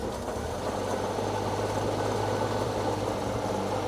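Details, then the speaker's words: Circa-1952 Austin 6-cylinder petrol truck, stood about 20 years, restarted later fully cooled down with no added fuel: low even hum without misses, knocks or stumbles; runs cleanly, normal running after cold start. "Then we're just going to see if she starts again. It's all cooled down. No fuel, just how it left, how I turned it off."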